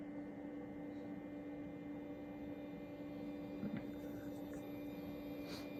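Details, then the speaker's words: XW Pro hybrid inverter charging four batteries: quiet until grid is enabled, then steady loud low electrical hum with constant pitch and faint high whine. "but I just want you to hear if I turn the Grid on here how loud this gets"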